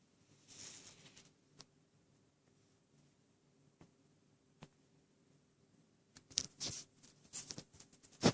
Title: PS3 makes rattling noise 2